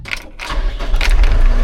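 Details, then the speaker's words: Tractor diesel under hydraulic load. The connection was moved from the top to the bottom position, so the engine no longer bogs as before. Steady rumble with no dip shows constant flow with nothing restricting it; normal operation. "So you can see now, no change of the sound of the tractor. That means that the flow is constant and nothing is stopping it."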